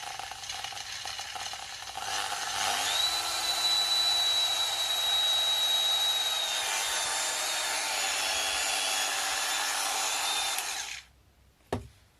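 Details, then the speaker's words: Proxxon rotary tool rescued from trash, test run after new cable and bearings: high steady whirr with slight rough rattle, quieter than an equivalent Dremel but not satisfying; owner first blamed sloppy soldering, later traced to a worn carbon brush. "Okay, much less noisy than the equivalent Dremel tool, which is great, but I'm still not 100% satisfied with the sound it makes."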